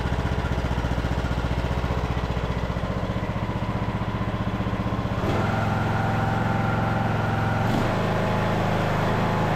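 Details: Craftsman LT2000 riding mower after carburetor work, air box and air filter not fitted: the engine runs fast with a pulsing beat, then its speed shifts and settles. This is a surge at full RPM, and the owner thinks the air box and filter may help.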